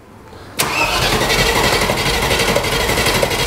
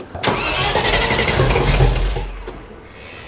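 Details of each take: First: 30-year-old Range Rover Classic V8 started for the first time in 7 years after fuel sender work, firing almost first crank: brief crank, then catches cleanly into a steady, even idle with a light regular patter; loud, silencers off; normal start. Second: 30-year-old Range Rover Classic V8, first start after 7 years with the fuel system refitted: long busy cranking to draw fuel, then a few ragged first firings that trail off as the engine tries to pick up.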